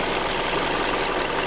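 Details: Hyundai Creta at 40,000 km, before an oil change, running on 5W-30. Fast, light ticking over a smooth idle with no speed change; a clattery top end. Cause suspected.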